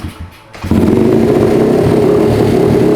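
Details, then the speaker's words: Honda CRF50 small single idles in a busy, uneven patter around three to four beats a second, never settling; acts weird at idle and dies whenever any throttle is given, with lawn mower in background. "It's just acting really weird at idle, and then whenever I give it any throttle, it dies."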